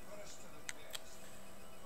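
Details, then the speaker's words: iPod clicking on startup: when the Apple logo appears a big click is heard, two faint sharp clicks about a quarter second apart, then it shuts itself down; owner thinks the clicking comes from the blue part inside; resetting doesn't help. "but like when the apple thing pops up you can also hear like a big click and then it shuts itself down right away"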